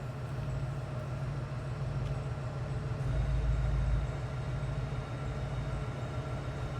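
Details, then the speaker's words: 2002 Cadillac Eldorado ESC, listened to at the rear exhaust at idle: a soft, steady low burble with an even beat and no ticks, puffs or misses. Quiet and smooth, as it should be. "quiet. As it should be. Very quiet and smooth cars to ride in."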